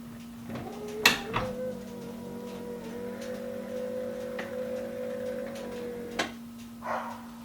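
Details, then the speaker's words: 1991 Camaro Z28 hatch pull-down motor after fixing how its mechanical switch was fitted: clunk, then a steady electric hum for about five seconds that stops cleanly with a soft thump; works as it should. "now when you close the hatch check it out this is the way it should be nice and"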